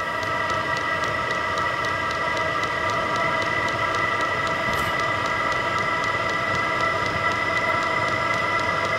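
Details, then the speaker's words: VEVOR 27,200 BTU diesel air heater, 12/24 V, at first startup as the glow-plug igniter warms: steady fan and burner roar with fast, even fuel-pump ticking gaining rhythm. Normal running. "sounds like the igniter is taken off warming up the inlet is on the right Outlet is on the left of the hot air comes out and two pump getting more Rhythm"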